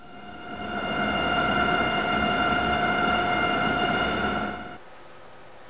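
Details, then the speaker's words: Axial fan in a test chamber running at 1000 rpm: steady, even hum with a clear whistling blade tone holding level; running smoothly, nothing abnormal. "listen to the sound generated by this axial fan operating first at one thousand rpm"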